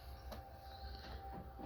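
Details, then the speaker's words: PlayStation 4 Slim disc drive makes a low fan-like buzzing rumble with a faint tone when a disc spins, because the bent drive cover touches the disc; popping it up with a suction cup stops it. "This thing has a slight bend, and this is touching."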